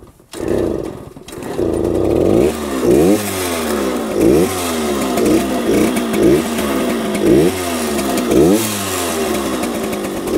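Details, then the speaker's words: 1966 Harley-Davidson Aermacchi M50S two-stroke, owner thinks it runs rich and shut off the fuel to burn fuel out of the carburetor: lumpy, popping idle about once a second, nearly stalling; rough idle. "right so now I've got the gas off like I said I think it's running rich I've shut the fuel off Let It Burn some of the fuel out of the carburetor"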